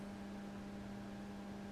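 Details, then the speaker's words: Line conditioner plugged in before connecting a vintage tube radio: steady low electrical buzz, constant over a quiet background; the conditioner's transformer hums, unsure whether that is normal. "Okay, I've plugged in the line conditioner now, and you can hear it's buzzing. It's got its own little buzz."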